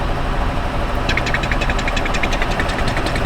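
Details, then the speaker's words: 2007 Honda Odyssey at idle with EVAP codes for low/no purge flow (P0497), purge valve commanded: fast light ticking, two or three a second, over steady idle; sounds like a vacuum leak, cause suspected, not confirmed. "Hear that noise? Hopefully the camera picks it up, but it's that really rapid that Sounds like a vacuum leak."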